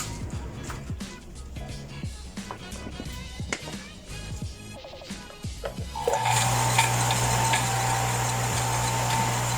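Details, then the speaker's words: Water pump that hummed but would not start, as if stuck, after the fan was refitted and reassembled: starts into a steady, even hum with water rushing, with no grinding or stalling. "as you can see, the pump works perfectly now"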